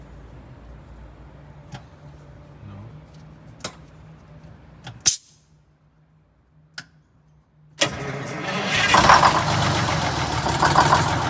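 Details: Detroit Diesel 6-71 in a vintage GM 4104 bus, started after repairs for a governor buffer adjustment to smooth the idle. Clicks and low hum, a pause, then the diesel fires into a loud, slightly uneven idle.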